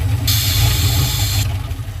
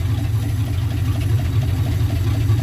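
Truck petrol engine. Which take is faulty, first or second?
first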